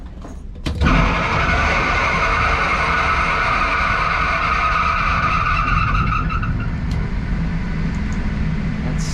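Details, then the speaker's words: York four-pipe fan coil unit blower, belt due for change and greasing, starting without a VFD: a sudden loud surge to full speed, then a steady roar with a fading whine. The harsh startup needs a VFD to ramp the fan motor slowly. "startup is horrendous that's why you want that vfd on so it can modulate the frequency so you can start the fan motor slow and then build it up"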